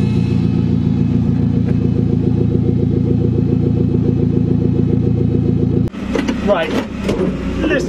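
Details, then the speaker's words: Commer van with 2.3 turbo, old external fuel pump before in-tank conversion: steady high whine over the idling engine that never changes pitch; noisy external fuel pump. "this is what it sounds like now let me just put in a little clip of what it used to sound like"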